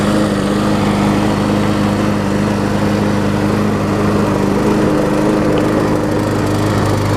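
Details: John Deere JS63C mower just after a new flywheel key was installed: a steady, even putter with a constant low drone and no misses or surging. The engine now runs normally.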